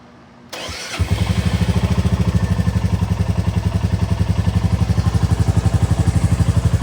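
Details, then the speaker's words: 2024 Royal Enfield Bullet 350 single after valve clearance adjustment (0.15 mm clear, 0.20 mm not), first start: the starter whirrs, the engine catches in about half a second, then a steady, even thump at about four beats a second; healthy idle. "Oh, sounds good. Sounds really good."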